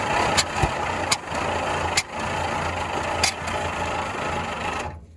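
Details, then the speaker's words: 1951/1952 Ford flathead tow truck, transmission stuck: uneven cranking with scattered irregular firing pops and smoke, rpm never builds; firing order/timing suspected, later traced to broken distributor cap center post. "it just feels like the firing order is off still well when it fires right we're getting lots of smoke so it's firing but the engine Rebel RPM is not changing when that happens"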